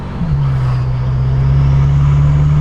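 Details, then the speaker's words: BMW F10 M5 (S63) after flashing the tune back to stock (stage 0), stock intakes refitted: deep, steady exhaust drone under throttle with no surging; smooth power delivery, no torque limiter throttle closure. "I then flashed the tune back to stock, went on a run, and the power delivery was much smoother with no torque limiter issues."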